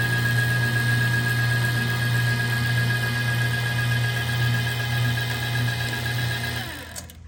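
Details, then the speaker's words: Old kitchen trash compactor after refitting its popped-off drive chain; steady motor drone and low hum through the ram's return stroke, then it winds down and stops cleanly at the top, working normally. "So now you can see it turn in a big gear. And the ram, it's on its way back up, down there. And then when it gets to the top, it'll actually shut off."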